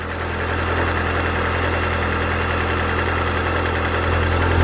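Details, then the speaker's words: Mazda Miata with a Toyota 4A-GE 20-valve individual throttle body kit, idling: uneven, loping idle with an irregular low beat; rough idle from unsynchronized throttle bodies, which hurts performance, before they are balanced. "so when you're starting your engine it might be completely out of whack so friends if this one closed that one open might be looking like that"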